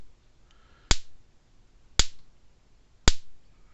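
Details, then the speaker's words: Blitzer 25 mile fence charger retrofit after no output: sharp spark snaps about once a second, quarter-inch spark across a screwdriver and arcing inside the tester; healthy steady pulse output. "You hear it arcing inside. Let me take a, I know it's working, but let me take a screwdriver and put it across here. See, it's snapping just fine."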